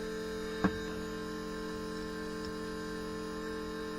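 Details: 4WD Daytona temporary fuel system with lift pump, surge tank, high-pressure booster pump and adjustable regulator; pump on battery power while regulator is adjusted from 40 toward 60 psi; steady even electric hum, one light click near start, no whine or rattle; normal.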